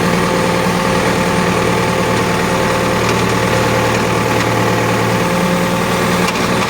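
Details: Cat backhoe at diesel idle: constant mid-pitched hum with fine rattle on top; abnormally noisy hydraulic pump, cause unconfirmed.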